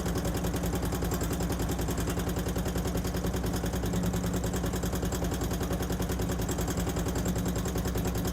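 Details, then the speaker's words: 2008 Harley-Davidson Street Glide after Screamin' Eagle 255 cam upgrade, new inner cam bearings, initial startup: fast light metallic ticking over lumpy V-twin idle; valvetrain tick, cause not yet found. "As you can probably hear, we've got a tick in the motor up here for some reason."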